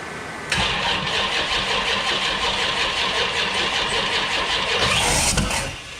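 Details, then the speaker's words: Freshly built 408 stroker small-block Mopar (from 360) with HEI ignition during flat-tappet cam break-in attempt: starter drags under three turns a second with an uneven chug and no catch; slow cranking from a weak, questionable battery. "can you shut the fan off while we're cranking because that battery sounds dead yeah we got to get the charger in there"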